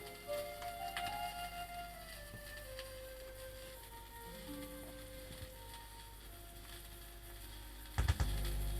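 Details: BSR auto-changer turntable after quick service, running at 78 rpm through a mismatched input on an isolation transformer: held notes steady with no pitch wobble, low earth hum underneath; turntable holding speed properly.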